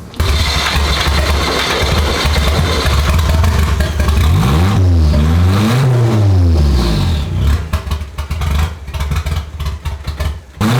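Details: Stock single-cam KA24 240SX, automatic, untuned, with scrap Skyline turbo, after correcting spark plug wire order: revs climb and fall smoothly several times with faint turbo whoosh, runs clean and pulls evenly. Normal running and revving.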